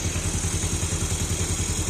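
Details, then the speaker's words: Fuel-injected motorbike with a hard-starting complaint, after replacing the CKP sensor and resetting the standard ISC, engine connected to a diagnostic tool: steady even low thumping at the normal idle of about 1200 rpm, no misses or knocks; normal idle. "Nah, ini normal. Langsamnya kita bisa lihat di sini"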